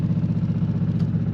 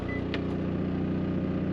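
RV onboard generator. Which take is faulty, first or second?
first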